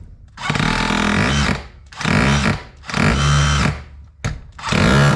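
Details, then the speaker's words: DeWalt 54V brushless hammer drill after hammer mechanism rebuild, tested without the pin: four short bursts of rapid, even hammering over motor whir, hammer engages straight away, healthy. "Oh, you can see it works straight away. Look, for example, without the pin or anything."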